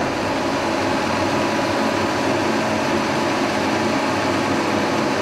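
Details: 1943 Brown & Sharpe No 2 Plain Standard milling machine, first cut in decades, head swung horizontal to side-cut an aluminum block: steady even cutting rush, no chatter or knocking; normal healthy milling cut.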